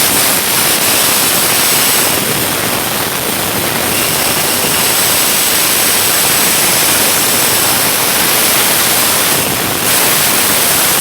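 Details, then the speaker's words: Airflow through an LS cylinder head port being ported for nitrous: a loud steady rush with a thin high whistle. Air is choked trying to get around the valve guide; a deeper sound would mean less restriction. "that's the high-pitched sound fellas is the air just trying to get around that guide nowhere to go that's why you hear that high whistling sound"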